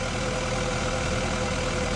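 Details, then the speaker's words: Takeuchi TL12V2 track loader diesel, first start after installing eBay-bought replacement injectors that have not been programmed yet; a steady, even idle with a smooth low rumble and no knocks or misses. It has never sounded this good. "This machine has never never sounded this good."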